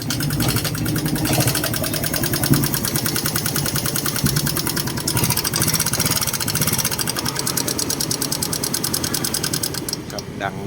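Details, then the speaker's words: Honda Wave 110i idling with loud, fast, sharp ticking from the engine; engine rebuilt one to two months earlier, oil full and no smoke; valve cover to be removed to find the cause. "คันนี้ก็มีอาการเสียงเครื่องดังแก๊กๆนะครับผมเดี๋ยวผมลองสตาร์ทให้ดูนะครับว่ามันดังจากอะไรนะครับ"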